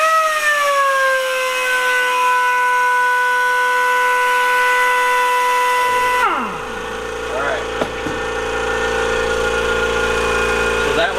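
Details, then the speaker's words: Kobalt Quiet Tech 26-gallon single-stage 150 PSI electric air compressor cutting in at about 100 PSI after impact gun use: steady tones, then a low hum and quick rising whirr settling into an even drone; normal cut-in. "So guys, immediately I see the benefit of the giant 26-gallon tank. Like, the old compressor would have kicked on."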